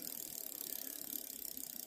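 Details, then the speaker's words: Bicycle rear derailleur, barrel adjuster turned anticlockwise a little too far, over-tightening the shift cable: fast quiet ticking about eighteen per second while pedalling as the jockey wheel sits outside the chain; noise from overtightened cable. "Although from that video it's kind of hard to tell, but just a little bit over, and it's creating that sound."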